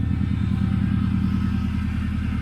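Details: 1997 Subaru GC8 with STI engine swap, warmed up after first start in a long time: deep steady flat-four burble, even rhythm, no knocks or hiss; no smoke or leaks; normal warm idle.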